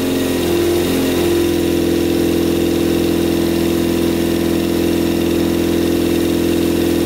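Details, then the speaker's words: Custom Yamaha Banshee quad with a 600cc sport-bike engine and carburetors with pod filters, first start-up: a lumpy, uneven, hollow idle with only the two outer cylinders firing. The carburetors are suspected, not confirmed. "all right looks like only two cylinders are running the two outer cylinders are running"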